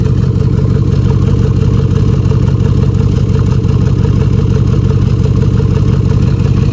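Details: 2013 Jeep Grand Cherokee with a deep exhaust drone, an uneven stumble about twice a second and light clatter, plus smoke; P0305 cylinder 5 misfire on the left bank from a worn camshaft and lifter.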